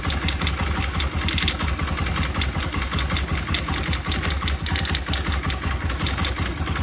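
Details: Rough low idle with uneven knocking pulses, two to three a second, on a new Honda Activa 125 scooter engine; abnormal internal engine noise, bearing issue suspected.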